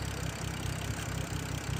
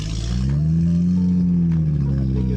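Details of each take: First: BMW F10 with cold air intake after cleaning intake of pollen and reseating an unlocked connector, following no-code rough idle: steady low idle with even pulse, no misses or surges; now seems to run smoothly. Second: BMW F10 rough idle with no codes, after clearing codes: steady low drone with slightly wavering pitch, idle not yet settled; owner suspects pollen in cold air intake, to be cleaned and intake adaptation reset.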